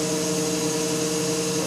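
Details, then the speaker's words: BMW E31 840Ci EV conversion on the bench, automatic gearbox in park in fail-safe mode with no controller, so pressures are at maximum. After pump priming it gives a steady, even hum and smooth pump whine with no knocks or grinding; normal operation. "Man, that sounds good. Now we're running the box in fail-safe mode. We got no controller plugged into it, so pressures will be at maximum."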